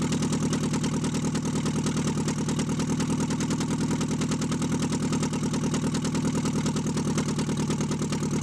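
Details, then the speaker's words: Mitsubishi Eclipse engine, cylinder 2 misfire just fixed, runs on all four cylinders at a steady beat with a faint light knock; cause uncertain, internals suspected, engine due for MegaSquirt and turbo. "okay so it sounds like she's running on all four um to be honest it sounded like a little a ride knockish i'm not gonna lie"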